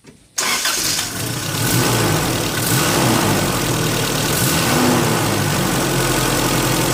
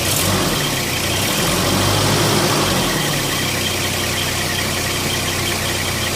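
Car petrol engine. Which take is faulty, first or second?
second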